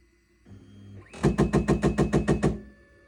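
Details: Formlabs Form2 resin 3D printer hums, then gives a quick run of about nine sharp knocks, roughly seven a second; abnormal knocking of unknown cause.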